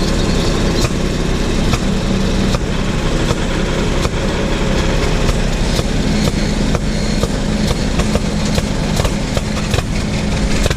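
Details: Predator 301cc pony motor, belted to the PTO pulley of a 1926 Hart-Parr 16-30 tractor, chugs steadily under load with sharp, evenly spaced belt-drive clacks; pony motor running fine.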